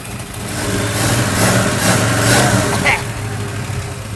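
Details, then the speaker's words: Junkyard Cuda V8 idling after a carburetor with mechanical secondaries and a nitrous setup were fitted, not smoking: a deep, loping idle that swells a little then settles, firing evenly without stumbles, so it runs well. "I say we're good to go. That sounds all right. We got it to run pretty good."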